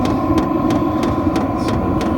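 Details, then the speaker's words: Vevor diesel heater from Amazon running: sharp tick about three times a second over steady burner roar from the pulsating fuel pump, louder at higher temperature settings; annoying for sleeping, normal operation. "it's a pulsating pump that um it would be nice if we could get rid of this sound cuz it is kind of annoying especially if you're trying to sleep"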